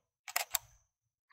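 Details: Canon EOS Rebel T7i/800D shooting via LCD screen after selecting focus point: two crisp mirror and shutter clacks in quick succession, then silence; normal single-frame shutter release.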